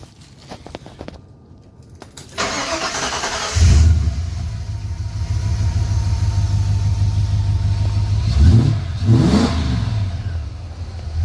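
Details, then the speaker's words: Ford Falcon/LTD-family V8 after the mass airflow sensor was reinstalled: brief crank, clean catch, smooth steady idle and two crisp even throttle blips; normal start and rev. "and that's the sound we all love anyway"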